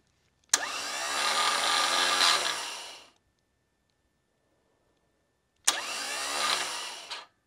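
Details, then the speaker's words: Bench-mounted starter with no engine attached makes two short runs, each a sharp kick then an even high whine that winds down cleanly. Main cable draws about 80 A at kick-in, then about 15 A unloaded. Normal free spin. "I'm getting like 80 amps right when the motor kicks in and then it drops down to about 15. But that's not realistic because there's no motor on there."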